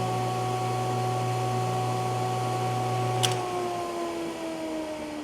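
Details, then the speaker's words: Used Jet 8-inch jointer, first start after cleaning, lubing and setup: steady smooth hum with even whine, no knock or rattle, pitch sliding down as it coasts off; motor healthy. "looks like it's brand new so let's start it for the first time i'll hit the on let me open this up just so you can see"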